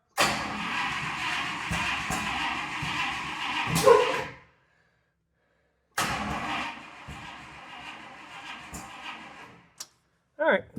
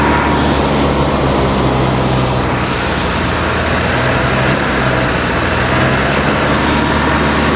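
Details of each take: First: 1956 Buick Century with a freshly rebuilt engine, started with gas poured in the carb, in park: rough catch with sharp pops through the carb and stalls; owner suspects the timing is off and is rechecking top dead center. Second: 1956 Buick Century, freshly professionally rebuilt V8 during break-in at raised fast idle; loud steady even rumble with no knocks or misses; temperature around 195°, running about 20 minutes without overheating, healthy.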